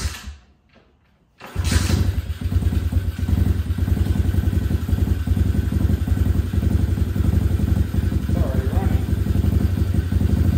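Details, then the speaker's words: Crashed SSR125 pit bike with low compression and an oil leak, on its first start after repairs and a new exhaust muffler: it settles into an even, low thumping single-cylinder idle with no knocks. The owner says it may need a bigger pilot jet. "quiet it sounds pretty good it sounds so much better than it did"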